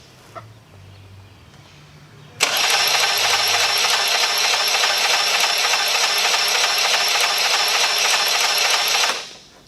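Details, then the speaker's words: Honda Elite 80 (CH80) scooter, over 11,000 miles, catastrophic engine failure: fast even cranking about three turns a second, no compression pulses, light clatter each revolution; about 15 psi compression, oil-fouled plug; failed piston rings suspected; low compression from broken piston. "don't really hear the pumping boom boom as it cranks the second thing is if you listen closely you can hear a little bit of clatter little crack crack crack crack every time the engine goes around"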